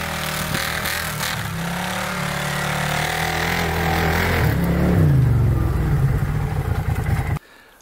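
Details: 2012 Arctic Cat Wildcat 1000 UTV drifting and doing donuts in snow: deep engine note rises and pulls hard under load with no knocks, misses or rattles; normal healthy running, CV axles holding up.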